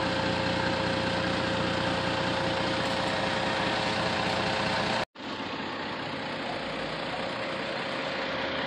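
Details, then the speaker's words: After repairing the broken resonator pipe with heat wrap (soapy-water test shows no bubbles): smooth, even idle with a steady low hum, no puffing, ticking or rasp. Exhaust sealed, normal idle. "this is what it sounds like after the repair"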